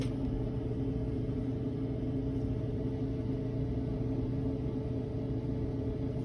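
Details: Whirlpool washing machine in test mode, run dry with no water connected, during the spin: steady droning hum with a low growl and no knocking. Worn transmission bearings rumble under rotation; the noise is attributed to water leakage.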